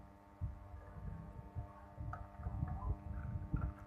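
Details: HotRock powered speaker, amplifier connected to an external speaker cabinet: steady low buzz with even overtones throughout under handling thumps, constant hum traced to failing filter capacitors in the amp's power supply.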